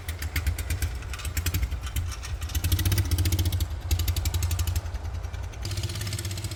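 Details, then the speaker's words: 1940s Whizzer motor bicycle engine, stored about 20 years and sent off for work, with a slight fuel leak at the glass bowl, choke off: small single fires right up, thumping about four beats a second, rising and falling with throttle; runs cleanly. "this no canceling mic probably shuts off the good noise it's fired right up"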